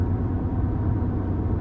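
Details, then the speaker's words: In-cab recording, Mickey Thompson Baja Boss A/T tires at about 60,000 miles, around 60 mph then slowing: steady low droning tire hum with no beat over cab rumble; worn tire road noise. "The tires. We're trying to get it on camera. We're stopping, so hear it a little louder."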